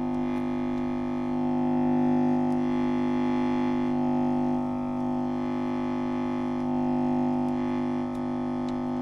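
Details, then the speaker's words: Vox 125 100-watt guitar amp head after output transformer replacement gives a steady loud buzz with no playing; owner suspects noise induced by DC running too close to AC near the capacitor. "the reason that's doing that is because we've got the cap underneath it we've got DC so close to AC on there I'm guessing that's what's causing that problem there and that's inducing noise in there"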